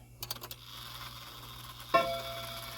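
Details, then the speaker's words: Shanghai 555 mechanical clock during repair, before adjustment: a few light ticks, then a chime strike that clacks and buzzes with a short dead ring; the chime hammers are out of adjustment and need the hammer adjustment tool. "See how terrible that sounds right now? I'll fix that. I'm not worried about that. We'll get that sounding much better with our chime rod, or sorry, our hammer adjustment tool."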